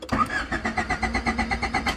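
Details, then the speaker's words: Honda Si after a bad upshift from first to second: steady starter cranking at about six to seven pulses a second, never firing; cranks but won't start. Later starts right up. "Doesn't want to start. Let me stop before I kill my battery."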